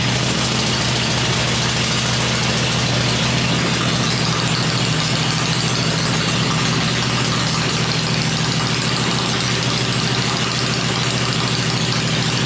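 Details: 96-inch V-twin motor with Edelbrock heads, freshly built and first fired on an engine run stand before installation in the bike; deep, loud, even lope at constant fast idle, no ticks or knocks; normal idle.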